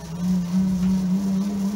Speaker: it's working the motor is turning it's turning the prop shaft it's turning the prop